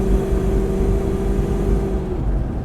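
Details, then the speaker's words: Land Rover Discovery V8 under acceleration after exhaust rebuild with new downpipes, stainless muffler and tip: deep, even healthy rumble, no rattles or leaks; belts, worn pulleys and slight ticks audible from engine front. "I would personally like it to be even more quiet than it is but it's it's fine and inside the vehicle the dominant noise is all coming from the front of the engine now noisy belts worn out pulleys slightly concerning ticks but you still hear the V8 when you put your foot in it"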